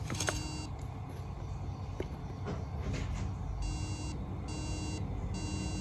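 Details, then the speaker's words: Old MacBook that froze with screen glitches and won't boot, sleep light blinking fast three times repeatedly: three short mild beeps about a second apart; owner suspects a RAM fault and tries replacing the RAM. "so when i turn on the macbook it does nothing and you can see this blinking sleep light which is blinking fast so you can see three blinks constantly we can hear a mild beep sound"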